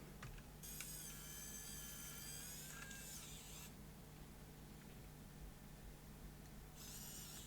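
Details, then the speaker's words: Dead Sony CCD-TR55 Video8 camcorder, loading motor driven directly from about 3 V supply to extract a stuck tape: thin high whirr runs about two seconds, stops, restarts briefly; motor turns slowly, reaching the unlaced position. "okay that has worked to an extent it is now in the unlaced position that's with the black wire here connected to positive has got it to the unlaced position"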